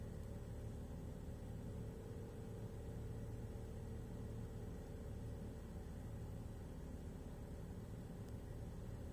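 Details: BMW X3 2007 N52 272 hp petrol six idling roughly on cold start after replacing eccentric shaft sensor gasket; before, rough only when warm; non-return valves, solenoids, valve cover, plugs, thermostat, water pump, filter housing gaskets already replaced.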